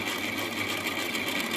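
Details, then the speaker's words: A new-build apartment's cold-water meter, with a developer-sealed coarse filter ahead of it, while the boiler fills: a loud, constant, single-pitch whine over flowing water. The meter sings whenever water passes through it. "да все соседи на уши поднимет прикиньте да вот такой шум создает этот счетчик когда вода через него проходит просто жесть"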